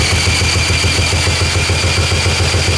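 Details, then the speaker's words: 1984 Honda ATC three-wheeler, single cylinder, cranked with a drill after checking the valve, fuel and gas tap: even chuffing but never catches, and the airbox bounces with pressure coming back out the intake. Owner suspects the intake valve is adjusted too tight. Cranking no-start. "When I try to start the engine, this airbox bounces. There should not be pressure this way from the intake."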